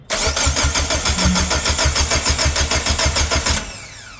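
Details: Mitsubishi Lancer with turbo 4G15 engine during rebuild: quick, even starter chugs, roughly three per second, for three and a half seconds, then stops without firing; cranks but won't start. Fuel pump suspected, not confirmed.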